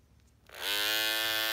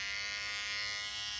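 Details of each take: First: Andis cordless T-outliner with non-stock blade, after a couple of months of use: the blade lifts when switched on and the cutting blade rattles, with a harsh rattly buzz. Owner found a plastic plate holding the back screw inside. Loose blade mount rattle. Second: Andis cordless T-outliner trimmer, as it sounded for its first month or so: a steady, even high buzz, smooth and not loud, no rattle. Normal running.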